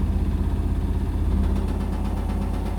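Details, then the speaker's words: Indesit BWE101683 washing machine on extra spin after 1000rpm wash: heavy low rumble pulsing about three a second, shaking and rattling; unbalanced spin caused by uneven floor under the machine. "oh no the washing machine's beginning to shake look at this oh it's getting very unbalanced now washing machines chattering away"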